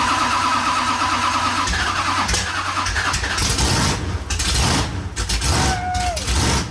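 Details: Drag-and-drive car at Sick Week 2025, first fire after the fuel pump was refitted with cleaned socks, a new gasket and new hoses: the engine catches quickly and revs up cleanly with no stumbling or sputter, partly masked by other noise; a healthy start.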